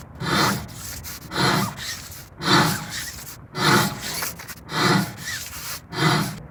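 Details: Car braking: a coarse scraping grind pulsing about once a second with wheel rotation; brake pads are completely worn and metal is rubbing the disc, which risks needing costly disc replacement.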